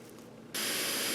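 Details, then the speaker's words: Onkyo TX-SR706 receiver with no HDMI video out. A quiet hiss suddenly jumps to a loud, steady buzz through the speakers with no program sound. The receiver's output is otherwise working. "And you're going to hear buzzing through the speakers."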